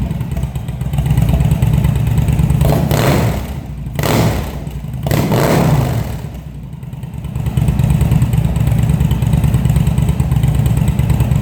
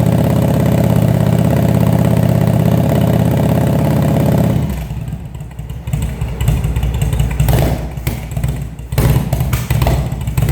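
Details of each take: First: Cold-blooded engine after carb rebuild (CV carbs, vacuum slides), fed from a remote fuel bag with airbox and air tubes removed. It catches, then hunts and stumbles through blips before settling to a rough idle; needs tuning. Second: Engine first start after carburetor rebuild, fed from remote fuel bag; steady even four-cylinder running for several seconds, then throttle blips that rise and fall cleanly; carbs working properly, normal running.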